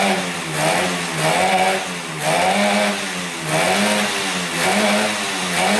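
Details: 1971 Yamaha CS200 twin two-stroke, sat over 17 years, recently revived: revs rising and falling about once a second with a lumpy, ragged note; owner suspects it runs on one cylinder, one not sparking; later spark found, left cylinder 125 psi.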